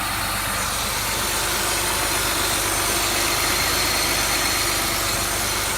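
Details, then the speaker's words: 2003 Ford Taurus 3.0L 24v DOHC with code P1506 and high idle: a steady high hiss over a fast idle that keeps running with the idle air control shut off; vacuum leak. "as you can see right here it runs just fine which means it's getting another source of air from somewhere who knows where but you can also hear a vacuum"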